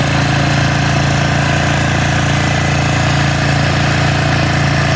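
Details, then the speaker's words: 1996 Polaris Marauder 425 4x4, neglected quad with leaking fuel, while riding: loud steady engine drone with rapid uneven pulsing under load, something not right; cause unclear. Abnormal running noise. "I can tell you here that there's really not that much going on in the carb division, but I can take her for a little stroll. Yeah, you can hear it. Something is not right."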